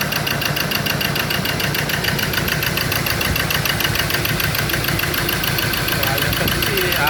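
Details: Ford Ranger diesel that would not start, firing only on cylinders three and four; with the number three injector disconnected it idles rough and lumpy with a regular knock; no electrical pulse on the injector wires for cylinders one and two; wiring fault suspected.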